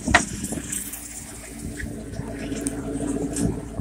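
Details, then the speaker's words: Chris Craft boat, Chevy V8 Cruiser 260 inboard, running on the hose after new shifter, cabling and shift assist: steady low idle rumble with soft click dropping into reverse, no knocks or clatter; shift engages well, minor adjustment needed. "see how good she goes into reverse printer click in"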